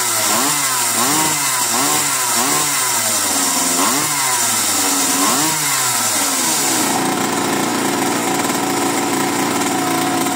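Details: Mini bike's first start after 30 years stored in a barn, new spark plug and cleaned carburettor: small two-stroke-style buzz revs and drops about once a second, then holds steady high speed. Normal running.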